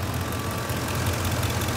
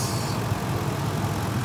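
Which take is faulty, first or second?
first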